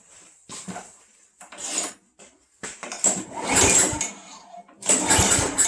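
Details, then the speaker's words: Craftsman Eager 1 self-propelled mower that ran fine the day before, primed again on a cold day: several pull-cord cranks with brief whirring rasp, never catching; cranks but won't start, owner suspects the cold. "well that sucks this thing ran perfectly fine yesterday it's probably just because it's so cold out right now"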